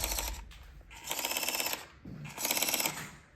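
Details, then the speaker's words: Traxxas Stampede 4x4 BL-2S (non-VXL) electric RC truck giving rapid bursts of sharp clicking under power, with the wheels barely moving, even when held off the ground. The drivetrain cause is unknown. "okay got the Traxxas Stampede here it's a non VXL version and um yeah it's developed this clicking sound"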